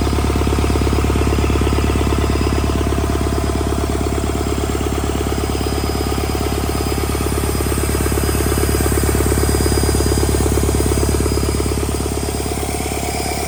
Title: DR 2262 REBUILT DOOSAN D34 For Bobcat S770 Track Loader diesel engine performance test after rebuild